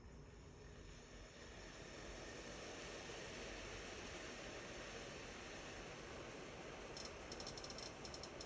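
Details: Samsung induction stove: steady airy whir and hiss, then a burst of sharp high-pitched crackling ticks near the end; abnormal noise, cause unknown.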